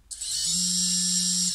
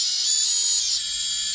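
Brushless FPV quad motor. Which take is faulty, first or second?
second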